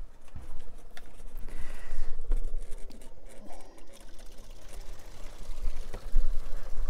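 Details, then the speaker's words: Whale onboard caravan water pump, just dismantled with its diaphragm cleaned, priming with a hot tap open: fast, uneven chattering as it sucks air before water comes through. It is run until it runs smoothly; nothing abnormal. "okay the water start to come through now it's going to run it until it's run smoothly"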